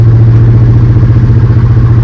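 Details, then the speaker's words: Ford F100 with a Crown Vic swap on its first drive; deep, even low exhaust rumble under steady cruise, not loud, no knocks or misses; normal exhaust rumble while driving. "It's just got a little tiny bit of rumble. It's not loud at all, but just a little rumble."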